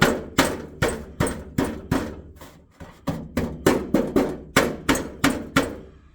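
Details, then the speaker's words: Jaguar XK (X150): sharp metallic taps about three a second with a tinny ring and buzz from tapping the exhaust heat shield, with something trapped underneath; rattle came through the floor while driving. Cause found and fixed: heat shield. "is actually making a hell of a Rattle and it's coming through the floor [Music] and causing the noise"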